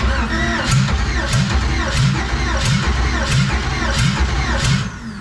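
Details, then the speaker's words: LS engine in a mud truck, on a stock harness with nylon fuel tubing, warm: rough, lumpy running with a regular stumble about every three-quarters of a second, one cylinder misfiring. A bad injector is suspected. "we got one hitting so that's Cam and crank I'm just hoping shoot him a bad injector"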